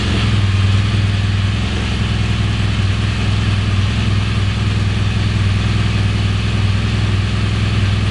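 Boxer twin settles into a steady, even low idle with no knocks or misses, running healthy right after starting.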